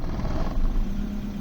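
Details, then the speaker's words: BMW E36 318is after a swap to an M42B18 engine, running about a minute: rough low rumble that sags on a small throttle blip, then recovers; it misfires, hesitates and nearly dies on more throttle. "If I give it a little bit of throttle, it hesitates, but comes"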